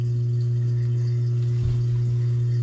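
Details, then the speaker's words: GE GDF520PSF6SS dishwasher drain pump after repair. It had ground when the broken top sprayer melted on the heater and a plastic chunk jammed it. Now a smooth, even low hum, no crunching or rattling; pumping normally. "we'll see if the uh drain pump is still good oh that's amazing all right it is pumping and it is not"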